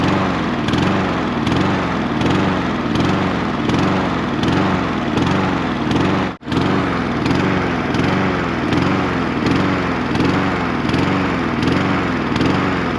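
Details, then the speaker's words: Troy-Bilt 21-inch self-propelled mower with a Honda engine that only ran on choke, after carburetor cleaning and refitting: it starts but rises and falls in speed about every 1.5 seconds in a rhythmic hunt; engine surging. "I got it put back on the machine, took it outside and started. It started right up, but it kind of surged."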